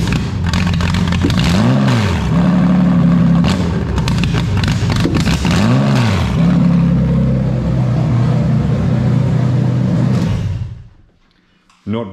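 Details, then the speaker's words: Toyota/Lexus JZ engine revved with the mass airflow sensor unplugged; revs climb and fall back twice, capped by a limiter around 3000 rpm, then the engine dies out and returns to idle. "happy so basically yeah she'll hit like a little rev card there's about 3000 rpm it'll go and run run run run run or do what it did in this case and just die out and then go back to idle or so on so that's what she'll do if the meth is unplugged"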